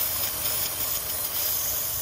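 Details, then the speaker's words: 2014 Chevy Cruze rough idle with codes P0171, P1101 and P0106: a steady airy hiss over a faint idle, heard with the cover removed, from a vacuum leak at the PCV valve under the valve cover. "y can cause an internal vacuum leak look at this how much is shaking this can cause an internal vacuum in so you know when I check that out pull it out see if it's blue see if it's vacuuming from here"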